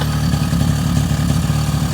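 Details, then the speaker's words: 2002 Suzuki LT-A50 quad after top-end rebuild with Wiseco piston and carb adjustment, first start and break-in idle: small two-stroke burbling at steady, even idle, crisp with no knocks or misses; healthy. "so basically we're doing the little first break-in just idling making sure everything goes through and and then we'll start giving some revs we'll put on a little stance try to rub it out but yeah it sounds healthy"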